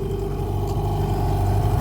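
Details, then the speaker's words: Hangkai 18 outboard on a john boat during a 10-minute idle break-in after a choke start: steady low burble with an even beat, no knocks or misses; idling smoothly and healthy. "Now it's got an idle for 10 minutes. That sounds good."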